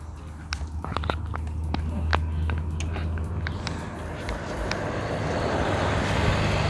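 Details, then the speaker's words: Secondhand electric fan, live wire jumpered to the switch to bypass a fault: low steady motor hum with a few light handling clicks, runs evenly without grinding, normal running; owner concludes the thermal fuse is blown and plans to replace it. "โอเคนะครับพัดลมหมุนแล้วนะครับแสดงว่าเทอร์โมฟิวขาดนะครับ"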